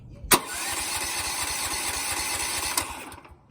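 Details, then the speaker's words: Go-kart 420cc engine that died after running out of gas, refilled, switch on and fuel on, oil good: starter cranks steadily at a quick even beat for nearly three seconds but never fires; crank no-start, carburetor suspected. "yeah see it won't turn on we have everything on the switch is on we have the gas on"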